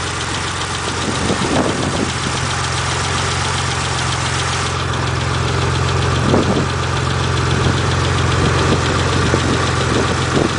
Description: 91 GTO, possible lifter tick or something worse?